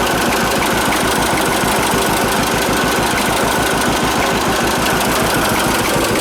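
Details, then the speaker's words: John Deere AR tractor, started after clutch work, runs with loud thumping firing at a steady pace but uneven beats and rough note; owner suspects too much oil, cause unconfirmed, uneven running. "I think there's too much oil in that I would not kind of ran and then it hit that compression and then it kind of blew kind of all bubble I think there's too much oil in that thing"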